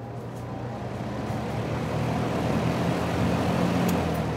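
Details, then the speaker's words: Mid-1970s Lakewood Country Aire P23 box fan, microphone behind the motor, starting on high speed: whoosh builds smoothly over a few seconds to full speed against room noise; normal motor startup. "I personally really like the startup sound at high speed."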